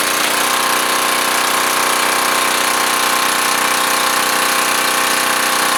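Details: Curbside freebie small generator, near-new inside, just started on choke: steady even buzzing run with fast regular beat, no knocks or misses; normal running.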